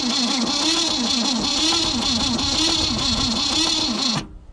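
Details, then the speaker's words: 1965 Ford Falcon wagon, 200ci Thriftpower six, sitting over 25 years: the starter turns about four times a second with a lumpy, uneven rhythm, one compression catching harder, with no start; the owner suspects stuck valves. "there's something right in the motor it might be stuck valves i wouldn't be surprised because it just says it when you when you hear turnover yeah that's what doesn't sound good on it"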